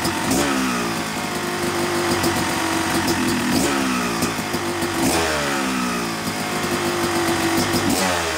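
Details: Yamaha YZ250 two-stroke motocross bike (250cc/270cc) at break-in after a year-long full engine rebuild of bottom end, transmission, bearings, clutch and power valve, new seals; crisp idle with clean throttle blips, no misfire or knock; normal.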